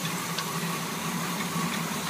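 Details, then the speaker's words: 1981 Chevy K10 with junkyard Quadrajet carburetor, just after cold start: steady idle with a constant buzzy rattle riding on top that doesn't change; the AC belt is vibrating and noisy even though it is tight. "Vibrating AC belt, and it is tight."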